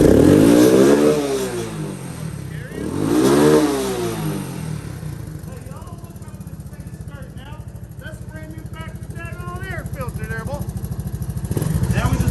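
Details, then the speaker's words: Honda ATC200S three-wheeler barn find, four-stroke single, mic down by the exhaust: revs rise and fall, then a steady regular exhaust thump about three beats a second; running well. "See that thump? Get down there by that exhaust and let them hear that thump, folks."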